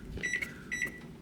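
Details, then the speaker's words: Samsung over-the-range microwave whose light stays on but won't start: two short high beeps from key presses, with gaps where keys such as 5 give no beep; some keypad keys don't register. "numbers five is not working 0 8 or maybe cancel yeah so it only gets four five digits so nothing is working here"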